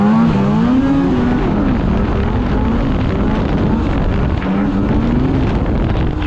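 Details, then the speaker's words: 2016 Polaris Indy 600 SP two-stroke snowmobile at full throttle after plugged fuel filter fix (previously stuck below 6,500 rpm): high wail rising and holding up top under load, clean and steady, no bogging, about 8,000 rpm; healthy full-throttle pull. "you know what that was hitting easily 8,000 RPM there which is where that you know approximately where it should be so she was getting full pole"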